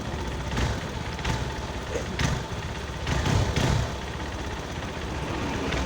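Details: Honda Verza 150 at idle: rattle in the clutch housing that comes and goes when the clutch lever is pressed; suspected hardened, worn clutch housing dampers, before their replacement.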